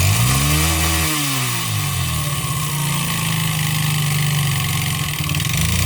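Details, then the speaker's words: 139QMB 50cc engine with a piston skirt shortened by an angle grinder and the cylinder sanded for large clearance. Revs drop and settle to idle with a hollow knocking rattle underneath: deliberate piston slap. "Patrzcie jakie to ma luzy więc na pewno usłyszymy ten dźwięk setup i sprawdzamy jak brzmi Piston Slap"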